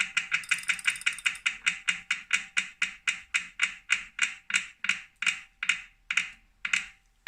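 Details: New 2018 Wahoo Kickr Core trainer, defective: sharp, bright clicks about three a second that slow and spread out as the flywheel coasts down; owner suspects a broken axle bearing or loose magnets.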